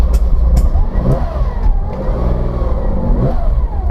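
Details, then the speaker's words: Porsche 914-6 converted to a 914-6 GT clone, warmed just a bit before a test drive to avoid richness washing down cylinder walls: deep, even six-cylinder burble with steady firing and light blips, no misses or knocks; normal warm-up idle. "So I've let the car warm up just a bit, not excessively, because we don't want the richness to wash down the cylinder walls."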